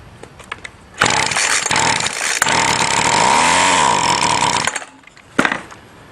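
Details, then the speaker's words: String trimmer with new fuel line, test-started on a tiny shot of gas before filling the tank: a few pulls, then a high buzzy two-stroke roar for about four seconds before dying; fires on prime and dies, motor good. "now a tiny shot a gas pull it and see if it starts and dies to see if the motor is good before I go any farther"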